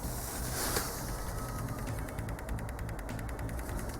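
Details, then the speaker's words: Common rail 2.0 diesel with P0088 (fuel pressure too high) code: solenoid valve driven by pulse generator, pulse width raised from 2 ms to 18 ms, 39% duty; quiet, crisp even ticking about eight per second over low hum, valve switching normally. "ja zwiększy w tym momencie jest 2 milisekundy będę zwiększał ten czas natomiast jest to bardzo ciche ale Niemniej jednak będzie słychać jego pracy"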